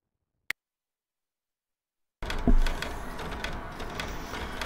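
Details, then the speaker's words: Computer optical drive clunking and clicking irregularly while retrying reads of a badly scratched CD, toothpaste-treated for data recovery, still going after 40 minutes with little progress. "so as you can see it's been 40 minutes actually and the drivers still clunking away which you can probably hear but um we've made very little progress"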